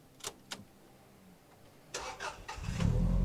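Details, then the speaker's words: JDM Subaru GC8 Version 5 after fixing a crank-no-start with the fuel pump not priming, tested once the pump primed: a few clicks and short cranking, then it fires first try and settles into a steady idle. "Oh, in the car starts up first."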